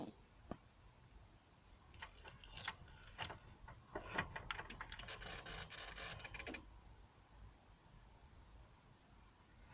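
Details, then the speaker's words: Barn-find Volvo 480 ES 2.0 petrol with electrical faults: ignition switched on to test a suspect sensor (poor ground suspected), brief burst of rapid dry clicking then stops; relay chatter, fault not solved, a deeper electrical problem. "got a bit of relay chatter and then it stopped"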